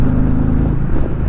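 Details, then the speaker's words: 2020 Indian Challenger Dark Horse V-twin test ride, accelerating onto the highway. Deep, throaty, steady low exhaust beat, even and strong with no knocks or misses: healthy normal running. "just really, it just has a really nice throaty tone to it."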